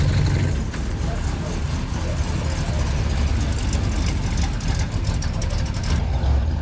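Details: 1965 Plymouth Fury wagon V8 with a big cam: loud, uneven, lumpy low idle because one fuel injector isn't spraying at all and another sprays light.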